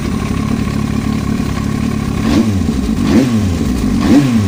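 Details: Yamaha R1 motorcycle engine: steady busy clatter at idle, then three quick throttle blips; odd mechanical engine noise, cause not pinned down.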